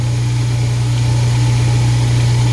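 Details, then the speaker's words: Apartment garbage disposal running with water after repair of under-sink leak: steady low hum with slight shuddering pulse, turns freely but vibrates on its mount; technician thinks vibration loosened it; excessive vibration. "See that vibration? Vibrates a little bit. I think that's what loosened it in the first place."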